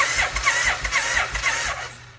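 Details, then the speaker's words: 1990 Suzuki VX800 that sat for a long time, cranked with the spark plugs still in: even, unlaboured cranking for about two seconds with no binding; engine cranks freely and is not seized. "That is a very good sign. All right, we're going to pull the plugs out."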